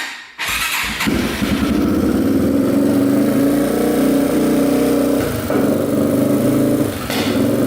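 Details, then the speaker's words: 2007 Yamaha TTR230 dirt bike after flywheel one-way bearing repair, carburetor cleaning and new carb boot; choke off, revved: rough uneven run with sharp pops, exhaust backfiring, cause unclear. "backfiring pretty good the choke is off now when you rev it see what kind of backfires a little bit"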